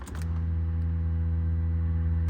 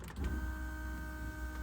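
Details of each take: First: Turbo LS2 Camaro with two fuel pumps, fuel pressure dropping when floored on wastegate: secondary fuel pump gives a steady low electric hum, stopping and restarting, rougher than the first pump; failed second pump. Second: Turbo LS2 Camaro that was losing fuel pressure at wide-open throttle on wastegate: fuel pump number one gives a clean steady high whine at one pitch without surging or rattling; this pump is normal, the secondary pump is suspected failed.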